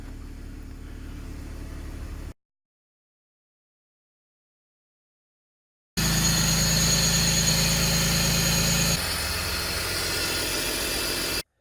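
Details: BMW 325i E46 inline six after vacuum line, boot and DISA valve work for P0174 intake leak; idles smoothly, steady with a slight speed drop midway, no stumbling or hunting; running good.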